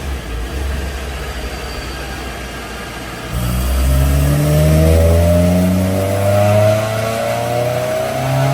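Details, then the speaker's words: Honda S2000 after installing a brand-new OEM short block and cylinder head (original engine seized): smooth idle, then a clean rev that climbs and settles evenly with no knocks or ticks; engine healthy. "all right so we're very fine everything's good we let it idle down listen to it kind of a long day but it's good that it sounds nice now listen to that that's beautiful"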